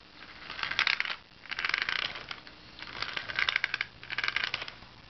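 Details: Nitro Rustler RC truck rolled back and forth, giving rapid sharp clicks in four bursts; cause unknown.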